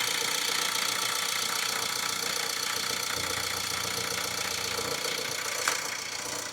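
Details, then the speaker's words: Vauxhall Insignia 1.6 CDTI diesel, 164,000 miles, first start after timing chain replacement: light, even clatter at steady idle like a sewing machine, no knocking, rattling or hunting; normal idle. "right well there we go sounding is is generally sounding like a little singer sowing machine beautiful beautiful"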